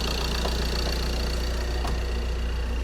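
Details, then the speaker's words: 2013 Ford Transit 2.2 diesel after full engine rebuild (previously non-starter after another garage's turbo replacement), cold first start of the morning, MOT passed: steady, even idle with smooth low drone and light regular clatter, no misses or knocks; normal diesel idle. "Now it's a cold start, and we're gonna try to fire up and show you guys how it sounds. My colleague just gonna crank it. It's a first start in the morning."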